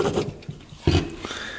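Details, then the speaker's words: 2005 Polaris Sportsman 500 ATV front differential, before rebuild: rough gritty rasping bursts as the shaft turns from very rusty, worn bearings and worn shaft. "we're going to begin with the front diff if you remember the bearings were just horrible you can hear them really"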